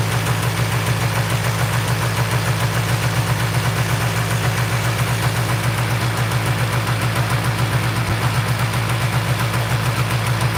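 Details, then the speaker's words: Two-stroke Polaris 400L quad after a piston rebuild, started on its original carburetor in place of an Amazon carburetor: fast, busy idle held well above normal tickover, too high to shift into gear, almost racing; unclear whether the throttle or the idle setting is at fault. "Yeah. So, it's idling pretty high. There's no way I can shift it into gear."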